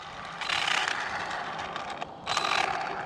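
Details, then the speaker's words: Arrma Vorteks V2 RC car: harsh gritty grinding and ratcheting in bursts under power; something in the gears chewing up, owner suspects the front diff. "something sounds real bad what is that noise"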